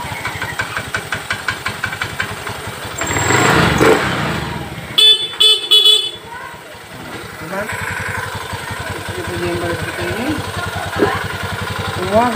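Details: Honda Beat FI ESP scooter after fixing a loss of ignition (wiring fault): small single-cylinder idling with a quick, even putter, partly covered by horn toots and street noise. Normal idle.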